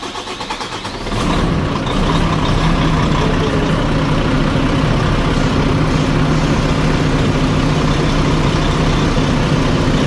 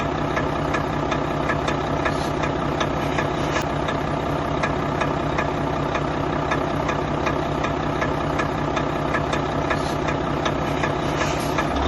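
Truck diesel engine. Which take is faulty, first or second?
second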